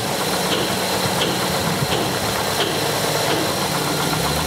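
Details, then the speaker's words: Hot Hyundai Santa Fe engine idling during coolant temperature sensor test: busy clattery idle that shifts speed on its own as an intermittent sensor connection makes the reported coolant temperature drop, changing desired idle. "Hey, look at the desired idle changing. You see that? As the coolant sensor voltage or degree Fahrenheit dropped, my desired idle changed."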